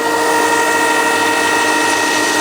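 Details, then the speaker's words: LG washing machine, after fixing a knock where the drain hose hit the cabinet and shock absorber by fitting thicker foam: smooth rising motor whine spinning up, no thumping or rubbing; normal spin cycle. "Всё нормально. Оп. Амортизатор ничего здесь не трётся."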